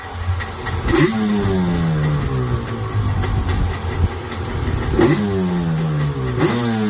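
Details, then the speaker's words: 1995 Yamaha Wave Venture two-stroke jet ski revived after years sitting, carbs rebuilt, main jets turned in about a quarter turn for Florida sea level after a really bad bog; buzz climbs and drops cleanly through several blips without stumble, sounds better. "She sounds a little bit better. It had a really bad bog, so fire it up."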